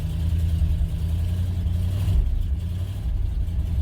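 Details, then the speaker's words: 1970 truck after cleaning its rusty fuel tank, lines and fuel system and rebuilding the carburetor, ice-cold on partial choke: a low, even fast idle with no misfires or stumbles, no raw fuel smell, running beautifully. "Ain't that wonderful? Now I got the choke on a little cuz she's ice cold, but just pers."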